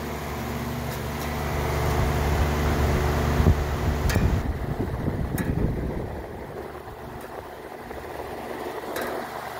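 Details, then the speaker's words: Older air conditioner with a faded tag, running: a low, steady hum with occasional faint metallic clanks cutting through the drone; it needs servicing. "The air conditioning is on, but you can hear a clanging noise, so it definitely needs to be serviced."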